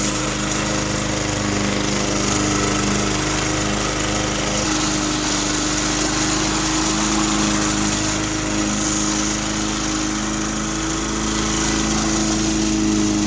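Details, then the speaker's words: 2004 Cub Cadet Cyclocut mower, Kawasaki 179cc ~5.5hp single-cylinder, cold start with one primer-bulb press; runs steady and even at constant speed, no misses or surging; normal running. "one kind of cool feature about this is that it has a Kawasaki engine it's a little tricky to start up but it does it does fire up pretty nice"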